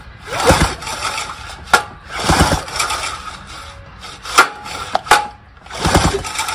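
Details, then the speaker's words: Outboard rewind starter repaired (pawl springs were backwards and the inner spring wrong), tested on an 18 hp test motor: several sharp pulls, each with a quick ratcheting catch and the flywheel spinning over; it engages properly. "sure enough it works well there you go another successful repair job on the mailin repair service program"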